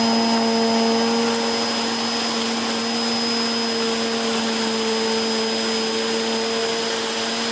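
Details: 2013 Hoover Whirlwind Pet WHS2102 001 2100W bagless upright on carpet, belt refitted for the demo: smooth constant whine and airy rush with no knocks or rattles, pitch barely shifting across the pass. The aggressive brush roll raises the pile; running healthy.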